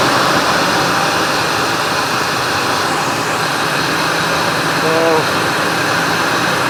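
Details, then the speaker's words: 1999 Ford Expedition 5.4L Triton V8, after replacing idler and tensioner pulleys and new belt: engine runs steady with no squeal, chirp or bearing rumble; belt noise gone, drive healthy. "put the hose back on got the belt all lined up fired it up no more noise"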